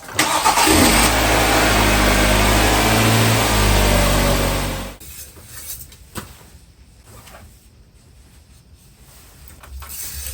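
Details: Hyundai Tucson after starter replacement, spark plugs, engine and cabin air filters and oil change: engine catches quickly, runs strong and even about five seconds, then settles to a quiet steady idle; starts fine.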